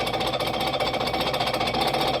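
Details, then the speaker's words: Champion Blower and Forge 20-inch camelback drill press, revived, with an added automatic feed drive. Fast rattling chatter under a steady whine comes from the two straight-cut cast iron gears, which is normal running. "And that sound is actually the sound of the gears. It's just two cast iron gears straight cut."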